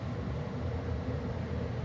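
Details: 2013 Carrier Sentry gas furnace in an attic during startup, running normally. Steady, even low rumble with no rattles, bangs or squeals.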